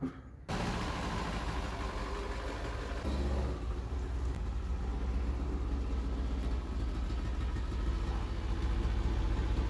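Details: 1975 Vauxhall Viva after fitting a Weber carburetor and Edelbrock intake, choke cable being fixed: engine catches and settles into a steady, smooth low idle with no knocks or hunting.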